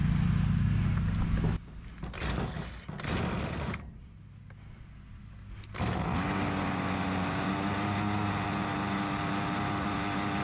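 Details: Ryobi RY253SS two-stroke trimmer, dumpster find, after carburetor replacement for leaking carb, started at half choke: catches, stumbles briefly, then holds a steady high buzz; runs normally, carb may still need adjustment.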